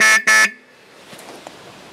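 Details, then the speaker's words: Old-fashioned horn fitted to a customer's motorcycle. Two short, loud blasts with a steady mid-pitched buzzy tone; it works and can be heard, but is less clear than the Royal Enfield's horn. "yeah, it can be heard. Not as well as the Royal Enfield. It's not as clear as that."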